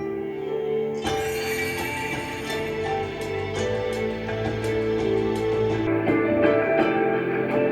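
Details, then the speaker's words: Pair of 1990s Mission 752 Freedom floor-standing speakers before repair: music sounds dull and underwater with almost no treble; owner hopes replacing capacitors will fix it. "yeah it sounds like i'm under water like the mission speakers they sound like you're listening to them under water um that's not good"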